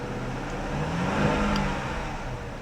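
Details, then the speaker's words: Auction car: after a restart it creeps in drive as the engine note swells and flares, then sags with no pull. A check engine light comes on. The automatic transmission is slipping. "Okay, that's that's all she wrote, guys."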